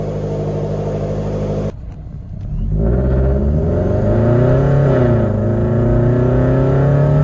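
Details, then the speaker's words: Supercharged automatic Scion FR-S with blow-off valve, after a dropped rocker arm and broken valve cover were repaired. At about 80% throttle the revs drop off, then it pulls cleanly through the gears, pitch rising smoothly. Normal, strong acceleration. "Pretty good. Pulls pretty good. I only 80% throttle, not all the way."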